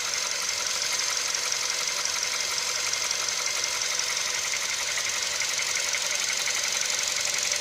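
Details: VW CFNA engine at operating temperature: brisk, fairly regular light knock about two per second over the hot engine's hiss; knock when hot, cause undetermined.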